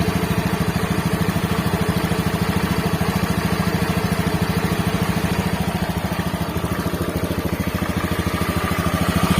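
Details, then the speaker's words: Honda Beat FI scooter after repair, previously a rough "helicopter-like" noise: even, steady idle with a smooth low beat and no roughness or rattle; the rough noise is gone, normal idle. "Oke betul suaranya akhirnya hilang"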